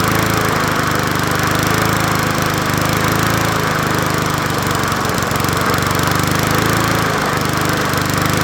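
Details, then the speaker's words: Old Murray 20" push mower #20201D, missing its gas tank, running with a substitute air filter fitted: a steady, rough, heavy drone with a shaky beat underneath. The crankshaft needs straightening (bent crankshaft). "I was going to make it a part one but we got to do some work to it the crankshafts uh need to be straightened out"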